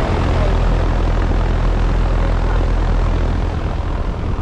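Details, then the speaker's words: Trane XR13 central air conditioner condenser running, compressor blanket fitted, lines nice and cold: steady even rush of fan air over a smooth low hum, no knocks or rattles; unit running healthy. "it's got a compressor blanket nice and cold yeah that sounds really nice"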